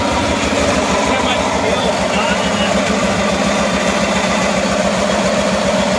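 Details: 1974 Cushman Truckster Haulster utility engine after wiring repair and redone exhaust, running again after a long while: steady, even note at one speed with no misses, knocks or rattles; runs cleanly, normal running.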